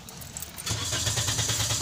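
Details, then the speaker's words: Short crank, then a 2019 Toyota Vios automatic catches and settles into a steady idle; hard starting, needing two starts, despite a fuel pump replaced less than a month ago. "hard starting dalawang start muna siya bago aandar dalawang start siya bago aandar"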